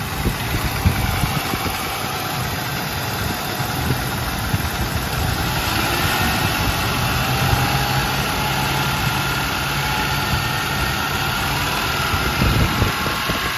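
V8 idling with a light, fast tapping riding over the steady rumble, a top-end tick of unknown cause.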